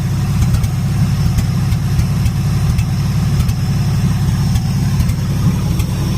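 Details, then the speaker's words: 1977 Ford F-250 Supercab at deep low idle after carburetor gasket added: uneven, stumbling beat with irregular hiccups; misfire at idle, cause not confirmed. "I let this engine run on Tuesday for quite a long time and it never did get over its little mess and it's actually started running worse"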